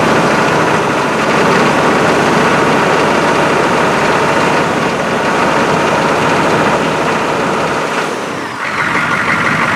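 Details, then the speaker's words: GM 6.5 diesel engine running after work on a high idle solenoid that had not been engaging; it holds a raised, steady idle with even clatter, no hunting or dropping back: high idle now working properly. "Hopefully she doesn't try to run away, or I'm going to be shutting her down pretty quick. Sounds like a high idle to me. Yeah, baby."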